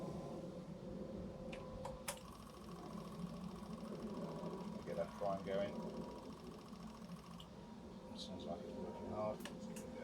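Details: Yamaha Fazer 600 four-cylinder after carb cleaning and refitting, started after several cranks: quiet, even hum settling into a smooth, steady idle.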